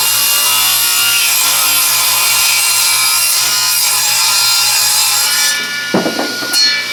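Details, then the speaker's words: Free used table saw with rusty table and a newly fitted plug: steady even hiss of the blade through wood then spinning down; owner says it sounds different, cut fairly smooth but rougher as stock doesn't slide well on the rust. "It's still a fairly smooth cut, but it's a lot rougher feeling. probably not sliding too nice."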